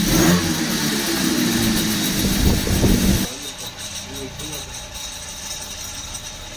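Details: 2-stroke brush cutter that wouldn't start after sitting, after replacing perished fuel pipes and fuel filter: buzzy engine runs cleanly about three seconds then drops to low murmur; fuel reaching engine, running normally.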